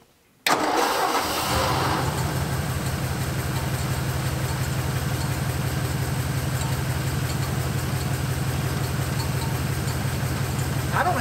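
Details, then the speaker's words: 1951 Ford with a flathead V8 and a 6-volt system, off the road about 40 years, first cold start after sitting overnight at about 40°F: short crank, then it catches at once and settles into a smooth, even burble; a clean, healthy start. "look at how good this thing starts it's freezing cold out here it's about 40 degrees it's been sitting overnight and I'm going to do a first start right now watch this"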